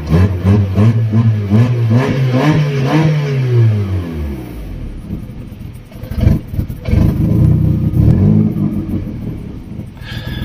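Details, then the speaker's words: Fiat Stilo with throttle body removed after clearing clutch pedal and intake pressure sensor codes; won't start without pushing throttle body: idle surges and sags, throttle opening and closing; owner suspects air leak, earlier suspected gearbox friction; hunting idle. "Oh man. Well, as you hear, it's still shaky. It's searching for air, which you can hear."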